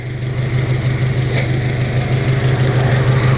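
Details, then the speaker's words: 1997 Honda Civic EX, D16Y8 VTEC, long unused: lumpy idle stumbling about three times a second, running on three cylinders with cylinder 2 misfire despite new plugs, cleaned cap, and wires testing good; caused by a cracked spark plug wire boot. "okay so I've been trying like hell to figure out why this is only running on three cylinders"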